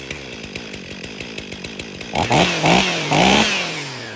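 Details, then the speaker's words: 2023 Stihl MS500i 79cc fuel-injected chainsaw, after a new fuel filter and a new NGK CMR6H plug: it sputters with even popping, then clears and revs up in clean, strong bursts. It was pretty flooded and now runs properly. "Well, there this 500i runs. Just had to clear its throat out. Was pretty flooded."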